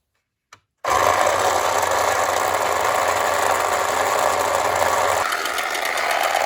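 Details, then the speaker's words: Late-1960s/early-1970s Remco Tiger Cat toy jeep on new batteries: buzzy motor whir with a fast ratcheting click about four per second, made by a metal tab riding on a ridged gear purely as a noise maker; normal. "It's that little metal tab right there. It rides on this gear right here. You can actually see the lines on it a little bit, and that's what makes that clicking sound. The only reason it's there is just to make noise."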